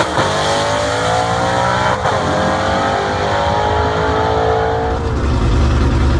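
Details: Southeast Gassers Association race car, freshly assembled and pre-run engine, track test passes: loud engine pulls cleanly through revs, shifts, pulls again with even firing, no knocks or rattles; healthy engine under acceleration.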